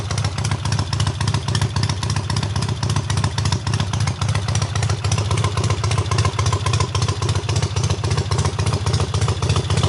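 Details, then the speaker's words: Triumph hardtail restarted after its first start, engine having sat on the workbench almost a year; clutch not yet disengaging fully: loud crisp exhaust at a regular rhythm of about four pulses a second with no misfires; runs well. "so what you guys saw in that last clip was the bike actually fired up unlike the second or third kick which is freakin ridiculous for you know it being basically not started and the engine sitting on my workbench for almost a year so super awesome runs really good"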